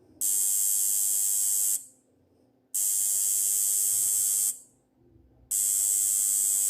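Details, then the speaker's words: Relay/electromagnet coil connected to 50 Hz AC mains: harsh, even buzzing in bursts about 1.5 seconds long with silent gaps as the armature repeatedly pulls in and releases; relay coil buzz on AC supply. "ये क्यों आ रहा है, क्योंकि AC में क्या है, परिवर्तनशील है। तो एक बार चिपका रहा है एक बार छोड़ रहा है, 1 मिनट के अंदर 50 बार चिपका रहा है 50 बार छोड़ रहा है, क्योंकि हमारे एसी की जो फ्रीक्वेंसी वो कितनी है, 50 हर्ट्ज।"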